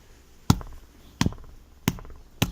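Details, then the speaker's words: Lada Vesta SW Cross cabin: four sharp dry taps about every two-thirds of a second, something loose inside the front seat rattling constantly; the seat cover was unzipped to inspect. "добрый день vsts в кросс сиденье что-то все время тарахтит"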